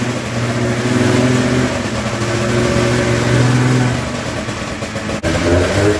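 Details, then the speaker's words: Polaris snowmobile two-stroke with a newly installed fuel pump, primed with gas squirted in; it fires and revs unevenly, then bogs and dies, the same problem as before. Owner is unsure whether it's losing spark or fuel. "bogged off and blew and died there. That is the problem I was having."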